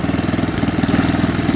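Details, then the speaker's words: Used snowblower that had not run for a couple of years, with poor-quality oil, pull-started. A quick, even single-cylinder putter with steady beats and no misfires: healthy running, though a governor issue was suspected earlier. "okay that's fine that's a fairly healthy sound and engine"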